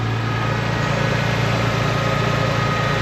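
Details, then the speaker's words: 1993 Nissan Skyline sedan with RB20DET, just after a fuel filter replacement; the fuel pump was primed, then it was started. Steady, even, smooth idle with no misses, knocks or hunting: normal idle. "we're going to prime it again and we're going to start it up as you can see it started up"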